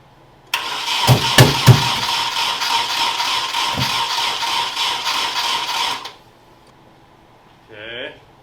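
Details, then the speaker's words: Nissan 240SX S13 KA24DE swap with spark and fuel, timing suspected off: steady starter cranking with several sharp backfire pops, never catches; owner then rotates distributor. Cause suspected, not confirmed. "Got some progress, we got some backfires, I don't know how to wear."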